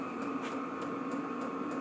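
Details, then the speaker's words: New Vevor 8 kW diesel air heater first run in garage, set about 25°C, medium setting: light steady tac-tac of fuel pump over constant fan hum; pumping normally. "donc là j'ai réglé la température vers 25°gr à peu près donc il tourne à moy normalement on va dire voilà donc on entend tac tac je sais pas si on l'entendz on entend la pompe"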